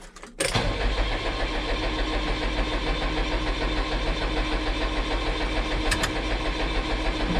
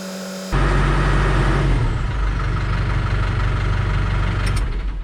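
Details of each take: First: New Holland TS100 tractor diesel after fuel filter change and sediment bowl emptying: runs steady about nine seconds then abruptly dies from air in the fuel lines; fix is cycling the electric pump to pressurize. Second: New Holland TS100 tractor diesel started after a fuel filter change and held at about 1500 rpm to draw fuel through: it catches instantly and settles into a steady, even drone without stumbling; runs clean.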